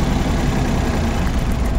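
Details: Suzuki Every DA64V idling high with strong vibration: a low, uneven, lumpy, stumbling beat, with weak fuel pressure also found. Engine misfire at idle.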